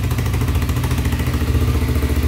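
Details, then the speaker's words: Rebuilt Honda 300ex quad single-cylinder, first run after rebuild for heavy smoking: steady deep idle thump, no tapping, no smoke, running quiet; some oil still in the pipe. "tapping noise at all man it's running great so far no smoke"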